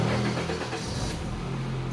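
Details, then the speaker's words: Automatic Honda Accord after repairing a no-crank no-start fault (fuses and relays checked), push-button restart: brief crank, clean catch, steady low hum; normal start. "Okay, mandar na mga sir. So solve na to."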